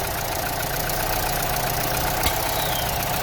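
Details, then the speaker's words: Vauxhall A14NET idling after head gasket replacement, oil filler cap removed: steady idle with a dull, hollow tone and suction at the filler. Caused by a failed PCV valve diaphragm. "Wat ik echter krijg, is zuiging via de peilstok of de olievuldop."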